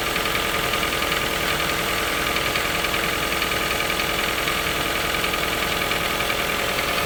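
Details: Toyota 1NZ-FE at cold idle: fast, fairly regular ticking about 3 per second. The knock appears every cold morning, fades after a few minutes and may rattle slightly when very hot after 2–3 hours of city driving. Cause unknown.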